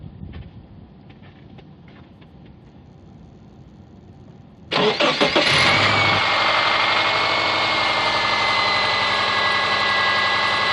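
The engine cranks, catches and settles into idle with a steady tapping about four times a second: an engine knock, cause still unknown.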